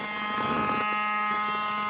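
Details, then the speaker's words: Saturn with engine off, battery connected: a steady, thin electrical buzz with an even hum from somewhere in the engine bay; it continues when the car is turned on, source unknown. "all right we'll go ahead and turn this battery on if you can hear it buzzing sound"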